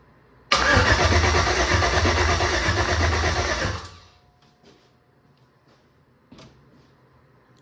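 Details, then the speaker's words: Jeep with an LMG LS swap and replacement heads: starter spins the engine for about three seconds with even compression beats but no start. The spark test light stays off and no signal reaches the ECU; owner suspects an LC9 harness or fried coil packs. "whenever we do crank it, it's not sending a signal back to the ECU. Even during the duration that we crank it."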